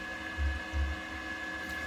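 Faint steady motor hum with a thin constant whine and a couple of soft low thumps; the turntable is turning normally.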